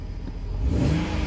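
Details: Salvage BMW E92 325i LCI six-cylinder, 41,966 miles, first start after accident, coolant lost from broken radiators, blow-off hose refitted: short clean smooth rev blip, no knocks or rattles; light smoke from rear, cause unknown; normal engine rev.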